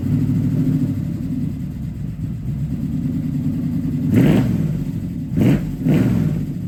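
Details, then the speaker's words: 1969 Camaro ex-show car, parked and not running for years, started after filling the float bowl: lumpy V8 idle, then three sharp throttle blips that rise and fall cleanly; sounds like a muscle car and needs only a little tuning. "wow that is awesome she sounds like a muscle car"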